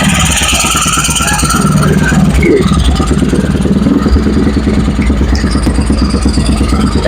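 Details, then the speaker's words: Honda Vario 110 carburettor scooter (KVB) with racing exhaust, engine previously rebuilt, revved: even, steady exhaust note rising cleanly with throttle, no knocks or ticks; runs smooth and healthy. "itu lembut-lembut ya suaranya ya. Ya. Seperti yang dimaksud dengan saya ya."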